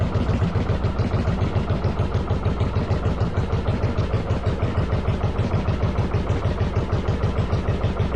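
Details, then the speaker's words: 1995 Yamaha Virago 1100 V-twin on half choke after cleaning vacuum lines and EGR-type valve: loud, lumpy idle, irregular beats about three per second; owner suspects carbs not synced, doubts timing, says it ran better. "makes me think the carbs aren't synced I don't think it's a timing issue it definitely ran better which is really interesting"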